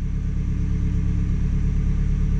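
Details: 2014 Hyundai Elantra with P0304 misfire, idling with scan-tool injector cut test: uneven lumpy low idle; disabling cylinder 4 injector changes nothing while others made it much worse, so cylinder 4 is dead.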